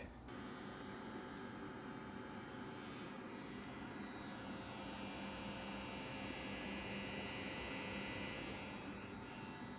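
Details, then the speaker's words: Constant low, fixed-pitch electrical hum from Fluid Audio C5 studio monitor speakers every time a game is launched on the PC; a ground loop buzz. "every time that I launch a game I was having this buzzing sound like this"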